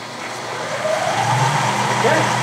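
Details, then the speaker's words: Clausing horizontal mill motor, found already wired for 220 V and temporarily hardwired, fed by a running rotary phase converter: hum climbs smoothly over the steady converter drone, holds even clean run; works normally. "And by gosh, it worked. Yay. Check reverse. It stops. There it goes. And it reverses."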